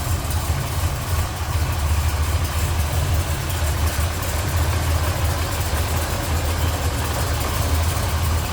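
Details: 1969 Chevrolet Biscayne with original 427 L72 425 hp V8 and M22 four-speed idling after a cold start: deep, steady rumble at a slow, even beat with no knocks or misses, idling cleanly.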